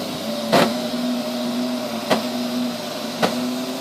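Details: Neato robot vacuum, used fewer than 30 times: its steady motor hum is broken by sharp, loud bangs that come suddenly at random intervals and random lengths.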